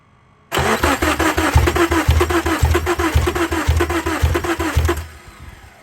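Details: 2002 Subaru Impreza RS 2.5 with new battery, good alternator, new spark plugs and crank sensor: about nine even cranking pulses over four seconds, never fires; fuel smell, owner suspects flooding; cranks, no start.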